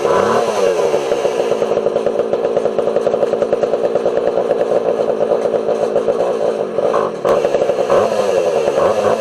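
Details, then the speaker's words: Homelite 240 chainsaw, low jet had been turned out about eight turns and high jet about one, suspected over-fuelling; low jet backed in a full turn: fast, buzzy run with a slight stumble near the end, still off tune, rough running. "i think the low jet is too high so we'll crank it back a full turn and crank the high jet out of full swing"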